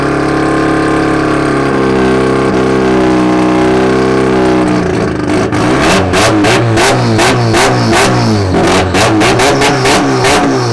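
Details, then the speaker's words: Rotary-powered Nissan S15 on a Link ECU, slightly warm, after retuning: both idle cells were made equal, and the TPS-based transition table, which read just over 5% at idle, was adjusted. Idle is lower, stable and even, with crisp, clean throttle blips. "so now with all those little settings you can hear the difference you know the idle's way lower it's more stable and it's a little bit more responsive"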